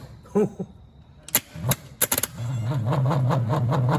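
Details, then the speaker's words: Starter motor from a 1959 Rambler (195 flathead inline-6, automatic), parked for years, bench-tested out of the car on battery cables; clicks and clunks, then weak slow uneven whir barely turning itself; Bendix and solenoid work, motor worn out. "so i believe our bendix is working and our solenoid's working but something in this motor is just drastically wore out it looks like it's barely got the power to turn itself"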